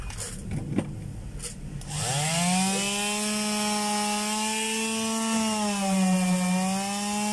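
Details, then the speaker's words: Finishing sander (3991 DWE 6411) running normally after replacing the 6001 bearing and platen; motor spins up to a smooth steady hum with even sanding rasp, no bearing growl or rattle. "kaabay so Ayos mga kabay maganda na uli yung yung tunog niya at saka yung pagsa Sander Okay na"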